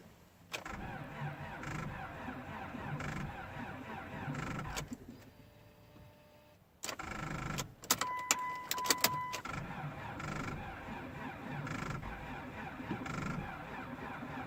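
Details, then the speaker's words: 2004 Chrysler Sebring with no power: sluggish starter churning at roughly one heavy pulse a second, not enough rpm to start, with apparently only one cylinder firing; weak slow cranking, no start, culprit not yet identified. "not enough our p.m. to get it to crank it is actually fired within the cylinder we're only running one cylinder so that's not doing it doing a lot of a lot of good"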